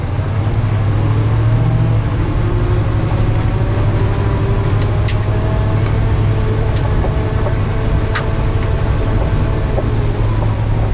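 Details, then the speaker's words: 1979 International Scout II, all original, 57,983 miles, climbing a steep driveway in low range with the automatic hubs not locked: deep steady engine drone under load and a faint, wavering transmission whine, normal for this drivetrain. "Now here it is in low range, okay? So you can kind of hear the transmission whine."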